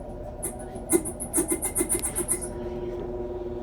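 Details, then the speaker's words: Four-month-old Whirlpool top-load washer: quick high-pitched squeaks over the motor hum from a slightly stretched drive belt slipping, fixed by replacing the belt. "yeah we got ourselves a little squeak on this and what i found is uh the belt was slipping on this"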